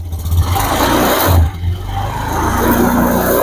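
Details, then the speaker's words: 2021 Honda Scoopy, before repair, no MIL lit and no error detected: engine surges, then sags and stumbles when throttled instead of picking up cleanly. A CKP sensor error is suspected, not yet confirmed. "Waktu kita gas, kita hidupin dulu. Nah, kita buktikan nyendat-nyendat waktu digas."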